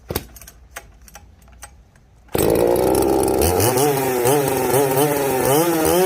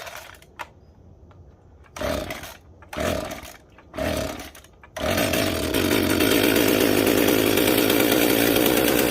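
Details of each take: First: Chainsaw called the 330, stock except for an opened-up muffler (muffler mod), cutting rotten pine: a few light clicks, then a full-throttle scream that pulls steadily, revs dipping and recovering cleanly. It runs well; normal full-throttle cutting. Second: Jonsered 2055 chainsaw with mud dauber nests inside: repeated pull-start bursts with only a faint whir and no compression puffs or firing; exhaust or intake is badly clogged and it won't start.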